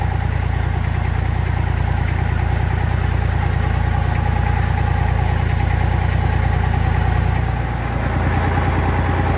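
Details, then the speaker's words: Tractor diesel at normal operating temperature after about 10 minutes running: even regular idle chug about three beats a second, no misses or knocks; runs fine after maintenance. "So that got her up to a normal operating temperature. Seems to be running just fine."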